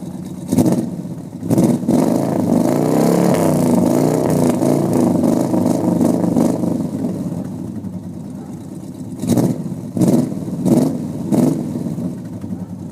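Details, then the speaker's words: 1950 Plymouth Deluxe four-door with a 350 V8, started on the first try in cold weather: deep burbling idle, then several sharp throttle blips rising and falling cleanly; normal revving. "pretty awesome that it starts up just on the first click trying to set this thing up on the ground let you hear it"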